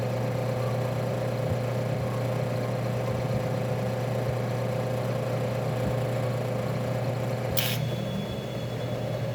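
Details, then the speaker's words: Refrigerator compressor with shorted winding: heavy low hum as it strains to start, then a sharp tick as the thermal overload protector trips; clamp meter read over 30 A. Replace the compressor. "então percebeu isso esse barulho e esse tique logo em seguida troca o compressor"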